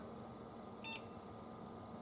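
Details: Desktop PC after replacing the power supply (24-pin connector converted to 20-pin): one short, clean high beep at power-on over a quiet fan hum, the normal single beep of a healthy start.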